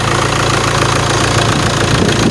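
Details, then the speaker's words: Alfa Romeo 156 1.9 JTD 8v 105 hp, parked for months: loud diesel running with hard metallic clatter and clicking on acceleration, lots of white smoke; injectors suspected, possible exhaust leak; not confirmed. "lots of white smoke it appears to be to be injectors because I can hear the injectors click away when they accelerate"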